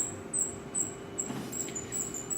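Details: Thin high chirps repeat about every half second over a faint hum as the craft machine is switched on and dialled up to two settings; it squeaks while running, cause unclear.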